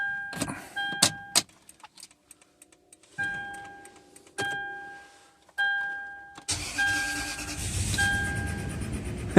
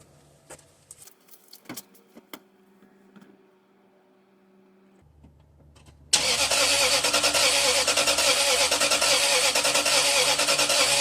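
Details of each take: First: 2005 Toyota Sequoia V8 after repairing a crank-no-start by resoldering and reinstalling the immobilizer: chimes and clicks, starter catches, engine fires cleanly into a steady, even idle despite earlier low-cylinder concern; normal start and idle. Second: 2005 Toyota Sequoia, towed in, new battery fitted, possible immobilizer code: starter spins steadily, about three beats a second, never firing; scope shows no injector or ignition control and uneven relative compression; crank, no start.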